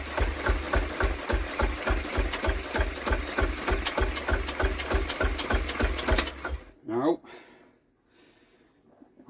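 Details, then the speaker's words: Restored Villiers WX11 engine, mixture screws opened for more fuel and manually choked. Rhythmic chuffing turnover at about three beats a second with no firing, then it stops. The engine is likely flooded; the plug is to be checked. "think that may have flooded because we're doing nothing now"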